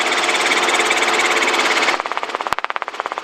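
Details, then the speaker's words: Helicopter in a practice demonstration with the governor turned off: smooth steady rotor/engine roar turns into a slower, distinct pulsing beat as rotor RPM sags, before the low-RPM warning horn sounds; low rotor RPM. "you hear that noise change yes not even at the buzzer yet listen to the sound of the rotors now for the engine big difference right yes sir you should pick that up before it gets that bad"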